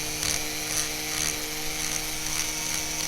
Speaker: it Clickety Clacks a little bit see that all right I thought that was normal the first time I did it and when I broke something I realized that it might not be normal